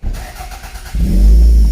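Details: Toyota MR2 after start issue repair with all-new parts fitted, in neutral with clutch down: brief crank, then catches and revs with a deep even roar; starts and runs, though owner feels it sounds too deep.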